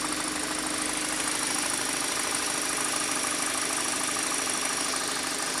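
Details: 2013 Kia Optima K5, 2.0L Nu CVVL engine, at idle: a light, fast, steady tapping, a couple of taps per second. It goes away when the accelerator pedal is pressed; top-end tick, cause unknown.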